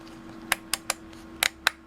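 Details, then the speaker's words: Brymen BM869s multimeter rotary switch, turned by hand: six crisp, firm detent snaps in two seconds over a quiet room, a healthy switch. "Hear how that snaps?"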